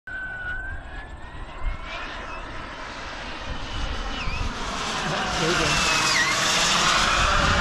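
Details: RC jet's turbine engine, which quit mid-flight: high turbine whine that swells and wavers instead of holding steady as it spools up; surging turbine.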